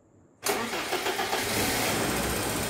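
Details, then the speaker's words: 1991 BMW E30 318i, M40 1.8L petrol engine, compression 140 psi on all four cylinders: cranks and catches into a fast, busy idle with a light metallic clicking from noisy hydraulic lifters while running. "you can hear that the tablets or hydraulic lifters are noisy making a clicking sound with the engine running"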